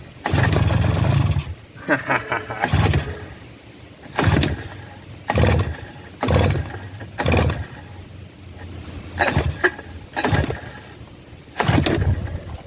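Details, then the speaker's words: 1984 Suzuki LT50 two-stroke quad, sat outside uncovered for years, no chain so no pull or push start; with starting fluid and choke it pops off in short bursts, firing briefly then dying out, not yet idling. "it did just pop off let's see here choke so we did just hear it pop off for the first time in a long time probably years"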